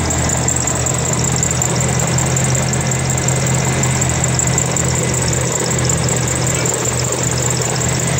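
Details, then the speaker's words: 1992 Chevrolet S10 2.5 fuel-injected Iron Duke four-cylinder, 164,689 miles, seemingly passed compression check: steady even low-pitched idle with no misses, knocks or surging; runs solid. "I have a complete running 2.5 Fortec. It's basically an Iron Duke, fuel injected, 92 S10, and it runs solid."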